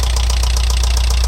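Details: Alfa Romeo 166 2.0 TS at idle: sharp even tapping several times a second, appeared after head gasket replacement; tappet buckets ruled out, variator checked; stethoscope places it on right side near cylinders 3 and 4; cause not found.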